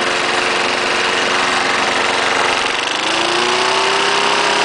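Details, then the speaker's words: 1974 Snapper lawnmower, single-cylinder, fresh gas after bone-dry tank: runs steadily with brief dip from throttle play, then picks back up evenly; normal running. "yeah that first start I did started right out it was cold I did not start it prior to this video"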